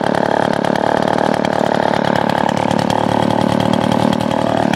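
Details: Blower with a small two-stroke engine, owned 5 years with almost no maintenance, cold day, choke lever broken off so choke worked by finger. It holds a steady, even high buzz with no surging or misses. Running healthy.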